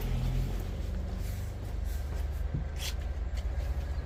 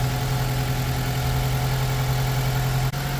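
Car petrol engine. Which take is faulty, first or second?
second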